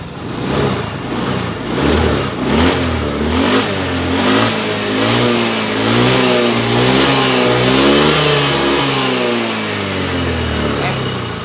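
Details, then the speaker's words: Honda Beat FI 110 after turning the idle screw about three turns: uneven blips, revs sag and hunt as the throttle closes and it still stalls when released. The idle screw was not the cause; it was valve clearance. "memang lebih enak tapi tetap saja mati ya selepas tetap mati"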